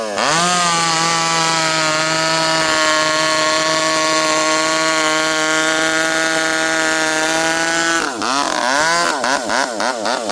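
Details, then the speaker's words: 064 chainsaw after new carburetor fitted (low jet previously wouldn't tune), high jet around 1 turn: clean steady high scream at full revs, then pulls down evenly into the wood without stumbling; healthy, well-tuned cutting. "I'm leaning on her pretty good there. This thing pulls hard and it's fast."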